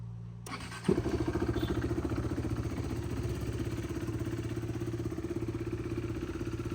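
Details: 2015 BS3 KTM RC 390, second owner, about 9,000 km, no oil leaks: starter whirr, quick catch, then a steady single-cylinder idle thump with no ticking or rattle. Pure sound, no engine noise.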